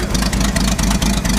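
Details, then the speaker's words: Ford F100 4x4 short bed after a rollover, six-cylinder with a very large carburetor: heavy, slightly lumpy idle with low pulses about four a second and a soft chuff; sounds and smells very rich, suspected not confirmed. "it sounds like it's rich it's very rich that's a big big big Carver yeah I can smell it a massive carburetor for a six"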